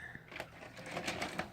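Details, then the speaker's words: Hitachi UX625 VCR: quiet whirring and light mechanical clicks as the deck draws in the tape and pushes it back out. It only accepts the tape on the 4th or 5th try, then just rewinds. The rotary encoder switch was cleaned without change; cause unconfirmed. "hit the eject button Wow okay before it wouldn't do that okay so on the fourth or fifth time it should take the tape second"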